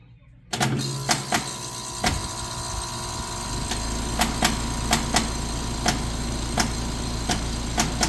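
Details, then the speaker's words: Trane outdoor A/C unit at startup: sharp irregular pops, roughly two a second, while cycling, eventually working itself out and running fine; cause unknown, recurring. "through these cycles and then it does this pop, pop, pop, pop sometimes."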